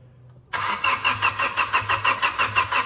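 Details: Flood-submerged, hydrolocked car engine being cranked to push out water; the starter turns it over in a steady pulsing rhythm about three times a second with no firing.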